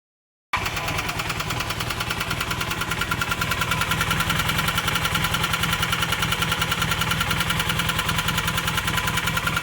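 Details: Honda CM400 motorcycle settling into idle with a fast, rough, uneven but constant tapping; an engine knock of unknown origin.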